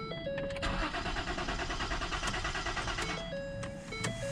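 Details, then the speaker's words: Crank-no-start: starter churns unevenly under a warning chime, never catches; earlier it tried to kick over but seemingly lacked fuel though gauge shows half full; fuel supply suspected, not confirmed. "and uh the time before that it actually tried to kick over a few times but obviously just didn't have enough fuel"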